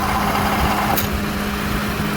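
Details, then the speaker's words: Idle with a rattling AC compressor after its clutch disengages: steady even hum and low drone, rattle gone until it clicks in again — normal idle with compressor disengaged. "see there is no more noise there's more no more rattling noise when he clicks up again I'm going to zoom in"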